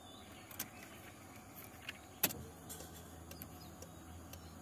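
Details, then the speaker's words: Nissan Sentra B14 after replacing fuel pump motor and fuel filter; click at key-on then faint steady low hum as the pump primes, clearly audible; engine then started with no leaks. "Okey. Bunyi pam tu ketara dengar."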